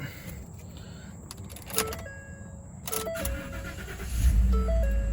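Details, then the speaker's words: 2014 Ford F-150 5.0 V8 that cranked but wouldn't start, after replacing blown fuel pump fuse: door chime, engine cranks and catches at once into steady low idle; clean, normal start. "there we go perfect so it starts up like it should as you can tell it's obviously running perfectly fine"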